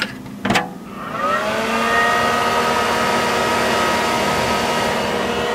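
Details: Mid 2003 dual-processor Power Mac G5 running with the internal air shroud removed: fans spool up after a click, rising to a loud steady whoosh with a whine on top. Fans ramp up loudly without the shroud.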